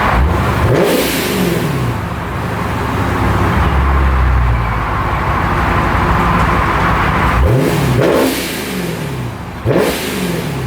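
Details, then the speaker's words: Procharger-supercharged Scat Pack V8 after its tune fix: slightly rumbly idle, which owner believes is stock behaviour, with a few clean rev sweeps rising and falling smoothly, no misses or knocks; normal. "it's idling pretty smoothly it's a little rumbly but I I I think that's pretty much the way it was stocked cuz you know stock these things don't idle like super smooth"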